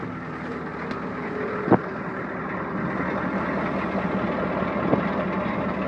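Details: Ford 7.3 diesel truck cold start on a 39° morning after glow plugs cycle, a little smoke; deep steady diesel rumble settling into an even idle with a couple of stray clicks, the cold engine idling fine.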